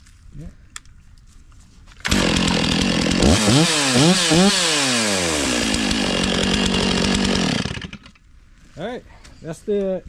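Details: Stihl MS460 chainsaw after 5 years in storage, air, oil and fuel filters changed and oil pump repaired: fires and holds strong steady high rev, clean throttle blips, dips under cut, no misfire or bogging; normal running.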